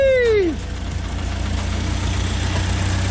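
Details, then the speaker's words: 1956 Land Rover Series I 86-inch wheelbase, sat for several years, first start after fuel tank cleaned of raw fuel, no coolant in it; after starter whine, quiet, even, steady idle with no knocks or ticks. Normal idle. "I don't know how much time, but you can tell it was a lot of time without starting, and the engine is running like a beautiful clock. Not even noisy. Very beautiful."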